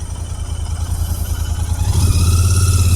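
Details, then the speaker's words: Royal Enfield Interceptor 650 twin at about 5000 km, at its second service right after a wash: low twin thump with uneven, stumbling beats swelling as it revs, one cylinder cutting out from wash water around a spark plug. "यार bike में भी miss मारा यार [संगीत] bike ने एक second यार [संगीत] कुछ प्रॉब्लम हो रही है यार"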